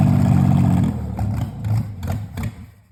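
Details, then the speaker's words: Freshly rebuilt Volvo Penta 4.3 long block on floor startup, cold, after melted carb bowl gaskets and choke were fixed; runs steady briefly, then surges and sags in uneven bursts and dies. Rough running and stalling; fuel hose or empty filter suspected. "But it does run, so we're going to mess with the fuel system a little bit. Maybe our hose isn't in there good, or our filter is empty."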